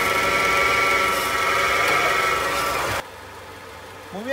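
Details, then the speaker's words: Worn clutch release bearing (collarín) on a Nissan NP300 pickup, recorded under the truck at the transmission bell housing: harsh steady metallic whir and rasp at idle that appears with clutch pedal pressed and stops when released. "El problema del collarín es el mismo cómo lo puedes identificar bueno el collarín cuando está malo empieza a sonar es un balero que dentro lleva pequeños balines"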